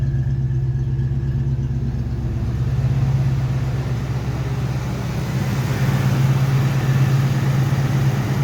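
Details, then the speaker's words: Fox Body Mustang V8 after cleaning carbon from a stuck EGR valve (code 34, EGR position): previously rough, shaking idle now a steady low rumble with an even, unbroken beat. "now we're gonna fire it up see if it sounds better well that was already better"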